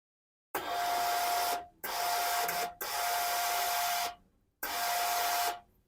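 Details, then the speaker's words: Blue Philips steam iron giving weak steam: four hiss bursts about a second long, each with a thin steady whistle, as if the steam wants to come out fully but can't. The pump sounds normal; the technician suspects scale clogging inside, with red specks seen in the port. "เวลาเรากดไอน้ำทุกครั้งนะครับจะได้ยินเสียงวีดวี๊ดเหมือนเคแบบว่าอยากจะออกมาเต็มที่นะครับแต่ออกไม่ได้นะครับ"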